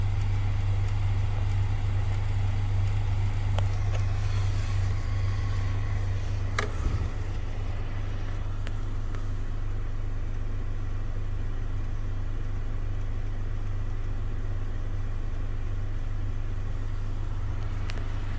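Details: Scattered sharp clicks over a steady low cabin hum from a failing blend door actuator under the dash of a 2018 Honda Accord Touring, occurring during climate control operation and adjustment; dealer replaced both under warranty.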